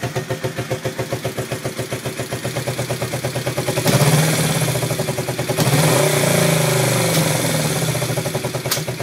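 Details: Yamaha XS400 twin after carb balancing attempts: uneven thumping at about four beats a second, with stumbling pulses between two throttle blips; rough idle, cause not found.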